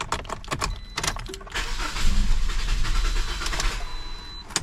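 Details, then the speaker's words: 2008 Pontiac Vibe starting: key rattle, then engine catches but runs lumpy and stumbles, struggling to keep running; diagnosed faulty evap canister, replaced afterwards. "so it doesn't start I mean it does start but it's it's just struggling to keep going it keeps choking"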